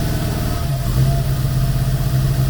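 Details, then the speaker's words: Opel Kadett with Chevette engine on a FuelTech RacePRO-1Fi injection, still in calibration. Deep, lumpy, uneven idle with a rough low pulse while timing is set toward 20 degrees via the distributor. It is running lean, and fuel is being added on the main map. "Is it at 20? Its lean No Move the distributor then"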